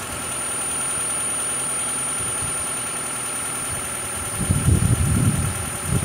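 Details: 2012 Toyota Prius 2ZR-XFE engine idling during an oil pressure test: low, uneven knocking grows rougher and louder toward the end as oil pressure drops slightly; cause still unknown.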